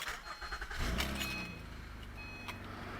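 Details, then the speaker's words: 2012 Acura TL V6 after a Denso alternator replacement: a short crank, then a smooth, even idle with the earlier whine gone, battery light off and charging at 14 volts. "notice the battery lights off let's go back to the battery on DC voltage [Applause] don't hear the whining no more there you go boom 14 volts this guy's fixed"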